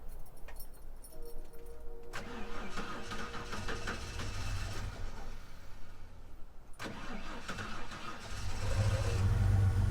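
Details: Old Ford six-cylinder restarted after being killed by sand and water ingestion: cranks a few seconds, catches roughly, then settles into an uneven, lumpy idle that builds louder, now with a knock.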